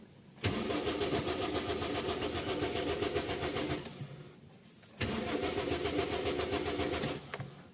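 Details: Toyota Vios cranks twice for a few seconds each, with the starter churning evenly, but never fires: a crank, no-start. A scan showed crankshaft and camshaft sensor trouble codes.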